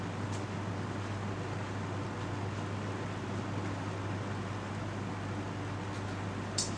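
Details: Box fan with a 2.6 amp motor running on medium speed: steady, even whoosh of air over a low motor hum with no rattles, ticks or wobble; it has a quick spin-down and runs smoothly.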